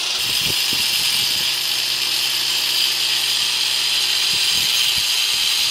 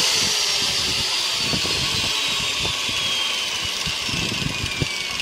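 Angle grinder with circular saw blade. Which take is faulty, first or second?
second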